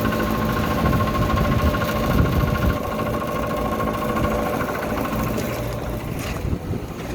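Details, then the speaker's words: Old Lennox AC condenser, no-cooling call with the high-pressure switch tripped, about 90°F outside: the running fan motor gives a faint squeal and light irregular knocking from worn bearings. The motor will probably be replaced. "that little knocking squealing type deal we got is the bearings in that motor so the motor is going to go whether i can see it lock up or not"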